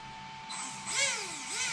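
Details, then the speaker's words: Traxxas X-Maxx 8S RTR RC truck motor after replacing failed motor bearings, not at full trigger: smooth whirr rising and falling in pitch with throttle, no grinding or knocking; bearings running quiet. "look at how quiet that is just don't go full trigger so that's all we needed to test nice and quiet it was the motor bearings"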